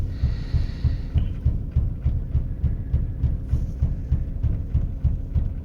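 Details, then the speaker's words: 1999 Mercedes-Benz E320 with very rough idle, heavy shaking and stalling; deep uneven throbbing about three pulses a second, labouring in Drive and barely moving when throttle is pressed; cause unknown. "problem is is that it really is rough idle and it doesn't want to go anywhere and the car like the shaking like really bad and I'm pushing on the gas and it's not even you see the car dice man"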